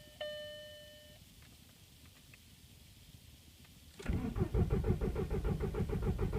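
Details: Volkswagen, Jan 2014: chime then steady cranking about three turns a second, never fires; began when oil light came on, oil 2 quarts low, immobilizer came on after 10 cranks; valley seal later found badly worn and leaking.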